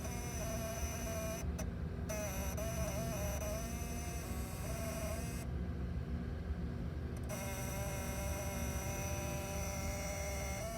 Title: 99 Olds Aurora Random flashing lights and a buzzing sound from under dashboard which correlates